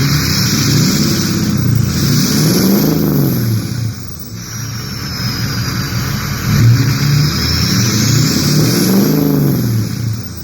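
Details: Ford 6.0 diesel after turbo replacement, oil cooler and EGR delete, warming up: repeated free revs each bring a clean rising turbo whistle that falls away smoothly. Normal turbo spool.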